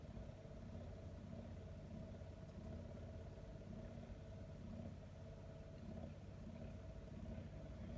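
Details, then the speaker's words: Miele G4500SC slimline dishwasher, found in a skip and earlier blowing a fuse, plumbed in and running a quick wash: steady, low pump-motor hum with no knocks or grinding; the pump runs normally. "looks like you might just have a dishwasher that works so there's the tray off the bottom and if it does work off to put that back on I can hear a motor pumping"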